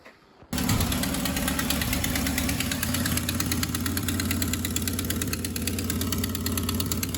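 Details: VW Golf MK2 GTI, EV engine with K-Jet injection, idling before a rebuild: a sharp, rapid puffing tick over the exhaust note, a strange exhaust noise from a burst exhaust leaking.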